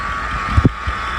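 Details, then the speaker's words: Original 5.0 Coyote V8 with 307,000 miles, idling: steady high whine over the engine from a bad bearing in either the belt tensioner or an idler pulley; idler pulley bearing whine. "you hear this whining noise it's I've got either a belt tester or a pulley the bearings are going bad that whining it's really horrible"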